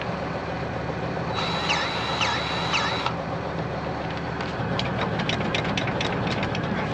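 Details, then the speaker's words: Farm diesel idling with a hydraulic spool lever left slightly off centre: idle lopes unevenly, dipping and hunting under slight drag, then clears once the lever is centred; uneven idle from hydraulic load. "got weird idle can you hear [Laughter] it there why what it's a hydraulic I don't know that's I got a spool slightly in on the so to whoever's in charge of that might be the reason"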